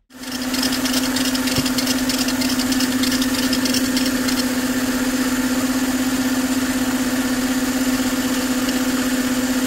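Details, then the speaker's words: Mercedes M272 engine idling with a steady high chirping squeak from the serpentine belt; cause is the crankshaft pulley (harmonic balancer); spraying water on it stopped the squeak. "I have a squeaking noise coming from my serpentine belt basically in this video we are going to find out why the belt is squeaking and find the solution"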